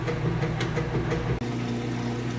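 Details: Maytag Centennial washer on normal cycle with heavy jeans and towels, draining after wash: steady low pump hum under splashing water, even and unbroken as the tub empties fast; normal drain pump operation.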